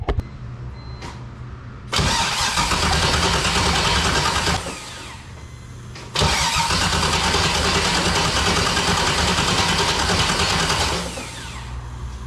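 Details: BMW E46 with an LS6 V8 swap on its first start attempt after reinstall: two bursts of steady starter cranking, about three turns a second, and the engine never catches. Crank, no start.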